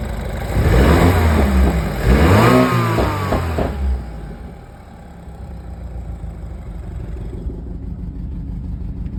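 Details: BMW N26 engine with cylinder 3 misfire (code P0303) from low compression: revs hard then drops to a lumpy, uneven idle with an irregular stumble.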